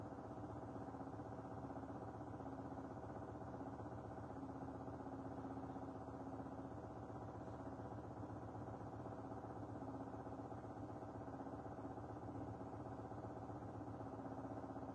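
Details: Washing machine heard through a wall from a neighbour's flat: a loud, muffled, steady rumble with a regular throb about 2.5 times a second, like a hard spin cycle; cause suspected, not confirmed.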